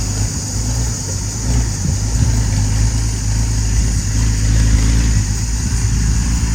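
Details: Ex-Australian Army International ACCO 6x6 truck with a Perkins 6354 six-cylinder diesel, just started after bleeding air from the fuel lines: steady low rumble, even beat, no knocks or misses; normal idle.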